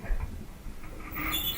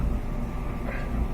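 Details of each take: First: Duet dryer, unplugged, drum turned slowly by hand: high, thin squeaks chirp from a worn, dry idler pulley, replaced through the lower panel; rollers can also cause the noise. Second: Whirlpool Duet dryer after replacing the screeching idler wheel: steady low drum rumble with no squeak; the squeak came from the inside metal bearing surface; dryer back to normal.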